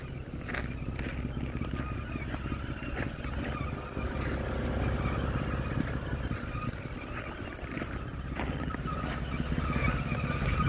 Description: I have this intermittent whining noise from engine area. can't figure out what it is.